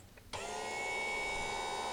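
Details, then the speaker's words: 12 V battery-backup sump pump on a deep-cycle battery, float tripped by hand with 110 V unplugged and the pump out of water: steady, even high whine, running dry and not shutting off with no prime. Pump works. "I think you can probably hear that running. Now I can't get it to shut off because it's not getting a prime."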